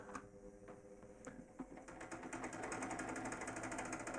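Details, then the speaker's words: 1965 Revox G36 valve (tube) tape recorder on fast-forward after playback. Fast, even whirring with a rapid, steady patter as the reels spin up: normal, very fast tape winding. "you will see the tape speed is quite extraordinary here"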